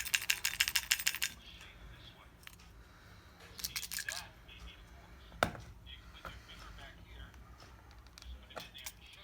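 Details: GoPro action camera with a rattling sound from inside even after all options were tried: quick, light, tinny rattling as it is shaken, like something loose internally.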